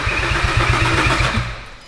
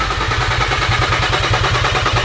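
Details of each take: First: VW Caddy R build after engine swap, cranking after reseating a loose ECU plug connection that had stopped cranking: starter spins engine with even compression pulses, about five a second, then stops, not yet firing as fuel primes; normal cranking. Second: VW Caddy R after engine swap, first start with completely dry fuel system: even starter cranking about three beats a second, never catches; engine turns over but has no fuel yet.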